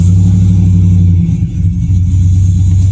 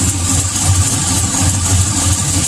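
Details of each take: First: V8 truck with long-tube headers, first start after replacing exhaust manifold gaskets with OE parts: smooth deep even idle rumble, the earlier passenger-side exhaust tick gone; camera under the truck, in gear; exhaust leak fixed. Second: GM V8 truck with long tube headers idling: slow, rhythmic tick over the rumble, worse on the passenger side, from a leaking header primary due to poor aftermarket gaskets; exhaust manifold leak tick, fix with OEM gaskets.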